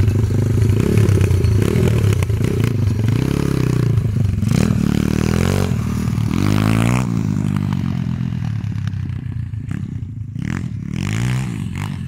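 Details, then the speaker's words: IMR 140cc XL pit bike after adjusting the air screw on its cheap Chinese carburettor: revs up cleanly in repeated sweeps, more bite, no bogging; sounds right for a 140. "y suena como más con rabia suena bien suena bien a lo que suelen andar estos motores de 140 hoy no se ahoga ni nada"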